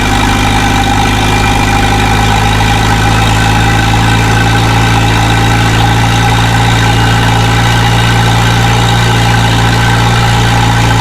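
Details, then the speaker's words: Volvo 745T, first start after exhaust manifold and turbo install with no muffler, cold and smoking. Loud, raw, steady fast idle with an even drone; idle sits high, owner expects it to drop as it warms. "she's idling high but i i expect that able to come down as it warms up and you know gets into its zone"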